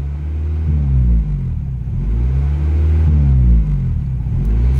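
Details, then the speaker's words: 1995 Acura Integra with a leaking exhaust manifold awaiting welding, idling around 2,500 rpm: revs swell and sag every couple of seconds instead of settling; high idle surging, cause unknown to owner. "yeah i don't know what that is because you know i'm not the [ __ ] smartest guy when it comes to cars but that needs to be fixed because it's revving in idle"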